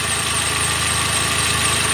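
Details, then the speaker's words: Toyota Avanza Dual VVT-i at idle: a rough, steady front-of-engine rumble with a gritty hiss. Checked with a stethoscope, the alternator, AC compressor, water pump and tensioner were fine; the cause is a dry fan belt, to be lubricated with grease or belt dressing. "Berarti bunyi tadi fix masalah karena fanbill kering ini ya. Ini cukup dilumasi saja menggunakan gris ataupun ee ee cleaner ya."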